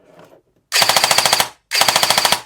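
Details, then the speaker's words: CYMA REC10 SR25 airsoft AEG after setting the motor height to the sweet spot. Crisp, evenly spaced cycles, about fifteen a second, with the earlier whirring noise gone; clean slow cycle. "That little whirling noise is gone, so slow cycle and it sounds like this."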